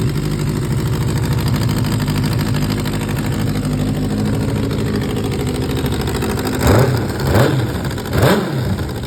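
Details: 2004 Suzuki GSX-R600 four-cylinder running with a major exhaust leak: raspy, chuffing idle that pops and blats through three short revs.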